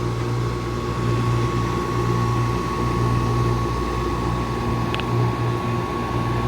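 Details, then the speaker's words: Two-stage Carrier package AC unit not cooling, while tracing contactor chatter through series pressure switches: compressor runs with steady low hum and even whine, no rattles; sounds good. Pressure switches suspected; major restrictions found in both refrigerant circuits. "I think these running series so technically that should go through everything compressor sounds good"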